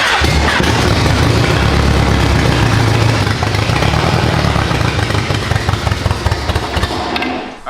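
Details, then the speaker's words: Mercedes-Benz E300 with swapped 5.2 L Voodoo crate V8, freshly started: lumpy, uneven beat, not firing on all eight; paper-towel bits then blow out, suggesting intake blockage. "we're misfiring. We're not banging on all eight. I got to figure out why we're misfiring."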